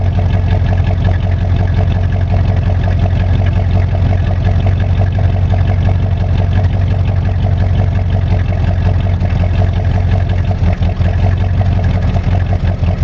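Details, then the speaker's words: 1985 Monte Carlo SS, cold start, sat 14 years, now daily driver, broken electric choke, burns oil (valve stem seals): steady idle with faint regular tapping over the engine note; owner suspects rod knock, not sure. "that thing is uh sounds like a knot or sounds like a rod knock but i'm not really 100 sure"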